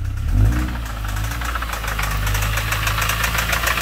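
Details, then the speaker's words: Mini One R50 1.6 16v 90hp petrol under gentle revving: a fast metallic rattle over the engine that tracks the revs, with no smoke. Slack timing chain; the hydraulic tensioner, fed by oil pressure, is believed dead after a run to over 7000 rpm. "du coup ça serait la pour nous la chaîne est détendue même pour lui euh la chaîne le tendeur de chaîne qui ne fait plus son travail qui doit être mort"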